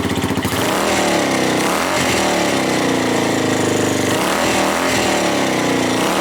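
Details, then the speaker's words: Suzuki GN250 after fixing an upper-engine ticking from a loose cam chain: loud, busy single-cylinder thrum with loose rattling from unattached parts but no tick on top; engine runs healthy, road test still pending. "it's not ticking it's rattling but that's because of all my things around the bike are not attached so it's only just things going around there but the engine sounds like new"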